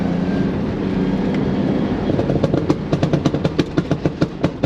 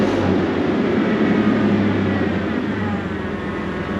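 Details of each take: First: Chevy S10 4.3 Vortec V6 under load on an autocross run: loud, uneven pops and bangs, roughly three a second; misfire and backfire because the distributor top plate failed and slipped, and the distributor was replaced. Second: Chevy S10 4.3 Vortec running after a failed distributor was replaced: steady, even engine drone with no popping, spitting or misfire stumbles; runs smoothly, and the ignition sounds healthy.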